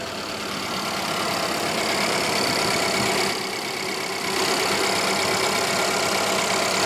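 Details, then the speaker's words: 2016 Ford Explorer Interceptor or 2017 Charger police auction vehicle idling with heater fan on high, heard at the engine: steady hiss and fan rush over a quiet, even idle, no knocks, ticks or misses; no leaks or weird sounds. "okay I don't see any leaks or weirdness any weird sounds"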